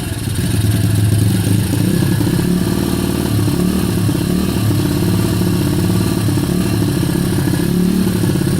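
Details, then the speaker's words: Kayo YX140E Klassic single-cylinder engine, throttle opened a bit more then held still: revs rise and sag on their own in a steady surge; hunting idle. "Ручка газа в одном положении, обороты пляшут."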